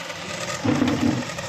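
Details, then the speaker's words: Microwave oven fan motor removed and run on bench in series: rough buzzy wavering hum instead of smooth spin; noise from worn bushings inside the fan motor. "य इसी में से आवाज आ रही है फ से क्योंकि इसके अंदर के जो स वगर होते हैं वो घिस चुके हैं"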